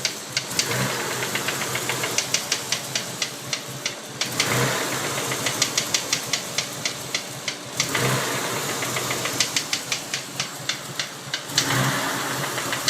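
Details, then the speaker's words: 1992 Mitsubishi 3000GT VR4 at idle after 8-9 minutes warm-up: quick sharp tapping in time with the engine, with black smoke from tailpipe; suspected near cylinder 6 by oil filler cap, timing belt slightly loose, cause not found. "We developed a lot of smoke out the back when we started the knocking sound. It sounds to me like the knocking sound is back."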